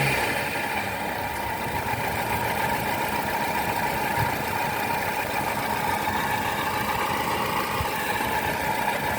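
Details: 2010 Nissan Serena C25 MR20DE petrol engine with P0300, idling after its exhaust restriction was cleared. Slightly uneven beat: cylinder 3 misfires from the lowest compression and 55% cylinder leakage.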